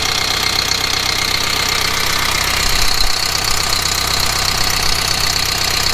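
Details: Kubota M15GX diesel tractor after engine rebuild: steady diesel clatter at an even idle, regular firing with no misses, knocks or blow-by; rebuilt engine runs healthy.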